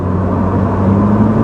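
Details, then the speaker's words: Pontiac Sunbird after repair, taking off under full throttle up to 50 mph: a smooth, even drone rising slightly in pitch, no stumble or popping. Normal acceleration. "listen to it take off listen to that not a problem getting up to speed anymore yeah not an issue hell we're already going 50"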